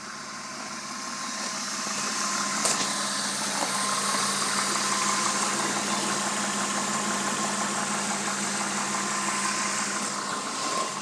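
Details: BMW M52B20 petrol engine at idle with a busy, fairly regular rattling knock of about three beats a second; the source is unknown and the owner is asking for ideas.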